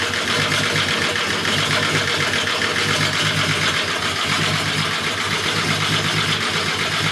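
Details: Engine swap being tested: idle hums with a hissy top and an uneven pulse around four beats a second, VR engine possibly misfiring, cause unknown.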